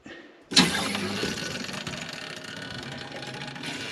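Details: Household supply tested while air is purged: sudden rush as the water comes on, settling to a soft even hiss with no whistle or hammering. Normal flow.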